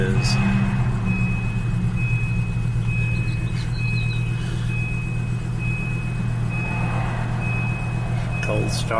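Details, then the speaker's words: 1996 Volvo 850 cold start after sitting about a week: smooth steady low idle hum, no stumbles or ticking, faint whine on top; sounds good. "video she sounds pretty good this car usually starts up every single time"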